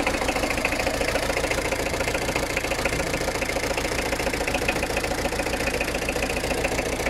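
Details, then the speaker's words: Citroën ZX diesel at idle on starting, fast hard uneven rattly clatter; rough, unhappy running, completely underpowered, barely moves under its own steam, fills the street with smoke. "because as you can tell by me starting that up it's not very happy it's completely underpowered and will barely move under its own steam"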